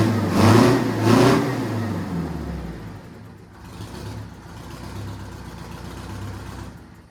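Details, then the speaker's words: 1969 Kenworth cabover with an 8V71N Detroit two-stroke V8 diesel, revived after sitting and slow to prime at first. A deep two-stroke bark revs twice, then settles into a steady, even low rumble with no knocks; runs healthy. "it runs I like it sounds good I want to drive it now"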